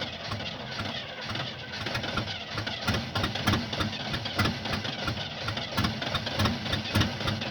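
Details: 1975 Oldsmobile that won't start: steady, uneven cranking around a hundred turns a minute, but the engine never fires or runs; cause unknown.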